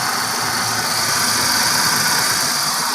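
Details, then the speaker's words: Hyundai 3-cylinder car that kept stalling, running after fuel pump trouble: steady, even idle with a smooth hiss on top and no misses or stumbles; engine running normally, though the fuel pump is suspected faulty. "so ito umandar na siya mga boss"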